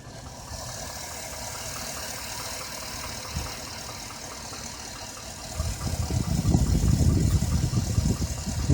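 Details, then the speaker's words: 2007 Chevrolet Avalanche at idle: quick, regular light clicking about three per second over the engine hum; judged internal rather than a lifter, with piston knock suspected. "It's not lifted. No, it's something running inside the engine."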